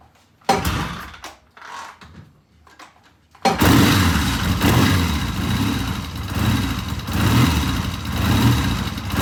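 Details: Vintage British motorcycle after cleaning the pilot jets on both carburetors: a few false catches, then it fires and settles into a steady idle with a slow rise and fall. No obvious misfire.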